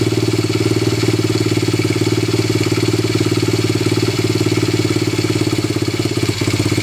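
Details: Honda XL70 fitted with a Chinese 125cc pit bike engine, just started with choke on: fast, even single-cylinder thumping at steady idle with a couple of faint stumbles; normal idle on choke.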